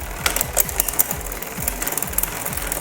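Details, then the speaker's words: Bicycle rear derailleur during upshift adjustment, after turning the barrel adjuster to relieve cable tension: light repeated ticking and popping, about five clicks a second, as the chain still hops because the cable is still slightly too tight. "Sounds not as bad, but still got a little hopping and popping in there."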